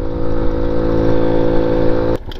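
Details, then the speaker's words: 1985 Honda Elite 150 barn-find scooter, 3000 miles, on a test ride; a steady single-cylinder drone holds two seconds, then cuts out abruptly; the engine died because the carburetor had worked completely loose. "I bet it's one of the needles that's still dirty. It just died. Oh shit. How did it just die? God damn it. All right. You see that? The carburetor is completely loose."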